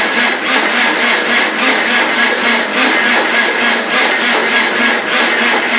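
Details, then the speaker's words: Land Rover 300Tdi diesel, just rebuilt, first cranking with injectors not connected: slow, labouring starter turning under one rev a second, no firing; no fuel coming through the injection pump. "Anyway, it should be enough to get this working. No, I thought we would have had some fuel come through the injectors by now."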